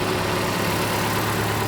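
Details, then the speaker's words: Toyota Tacoma build after about a dozen flushes: steady, smooth low idle hum with an even beat and no top-end tick, running a lot better. "Seems to be running and running a lot better."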